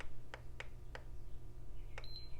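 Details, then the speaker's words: PS5 Digital (1115 model) at power-on: single short beeps spaced a few seconds apart over a low hum, no lights or other signs of life; power supply thought fine, motherboard fault suspected, not confirmed. "it beeps who I didn't know it even beeped beeps but no lights nothing okay so probably not a dead power supply"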